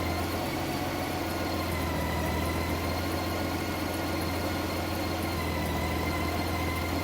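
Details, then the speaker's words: 2012 Honda Goldwing during cold warm-up, coolant at 50°C, revved lightly toward about 1400 rpm. The PAIR secondary air system is not yet active below its temperature threshold. Smooth, even hum with no stumble or popping; normal. "Rev it up a little bit. See if I get it up to 1400 RPM or so. The pair system is not yet being activated just because the engine temperature is below the threshold that it would normally start engaging."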